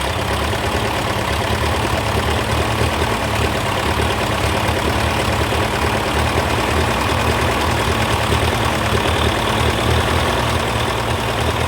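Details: TO35 engine at an even, steady idle with a smooth low chug; the loud ticking is gone and it sounds healthy.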